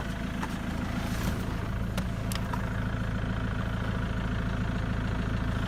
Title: Ford mondeo clicking noise